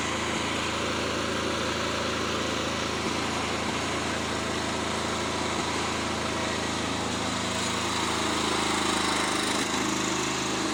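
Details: Fairly new lawnmower run with the mower deck off after checks: steady drone, occasional brief stumble, wavering pitch near the end; intermittent misfire, better than yesterday, owner suspects a fuel problem.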